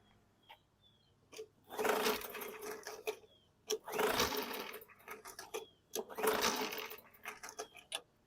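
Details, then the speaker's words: 2019 Murray push mower with a Briggs & Stratton 450E 4.5 hp engine: three pull-cord cranks, each spinning freely about a second with little compression and no catch. No-start; the owner suspects an internal or cam gear issue, or a brake cable killing the coil. "yeah I think we got um internal issues this thing may even have um a cam gear issue"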